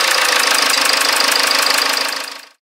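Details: Jaguar XF after replacing a blocked fuel filter: engine catches and settles into an even idle, a steady beat near four per second with no misses, then shuts off; runs normally after the repair.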